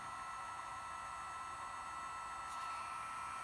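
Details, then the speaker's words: Gen1 BioLite CampStove after its internal battery was replaced (stove over 6 years old; the old battery no longer held a charge): quiet, steady fan whir with a constant mid-pitched tone that holds without cutting out; running normally. "see how it works here seems to be running that"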